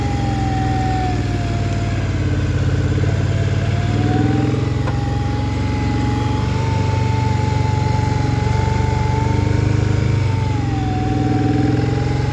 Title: Scrambler XP1000 S weird noise 3